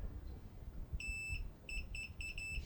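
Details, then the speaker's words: About 90-year-old tube radio, continuity tester on the grid wire: a steady high beep sounds repeatedly in short bursts as the probes touch. The grid wire is shorted against the can that goes to the antenna. "So, this grid wire was short out against the uh can that goes right to the antenna."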